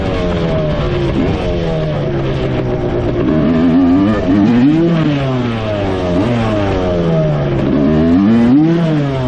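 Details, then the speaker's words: 1986 Suzuki LT250R two-stroke quad, while riding: revs flare and fall every couple of seconds as every gear above first pops out into neutral under load. It shifts fine manually; cause not confirmed. "it uh pops high gear pretty good so every gear besides first gear you can hear it drop back into neutral"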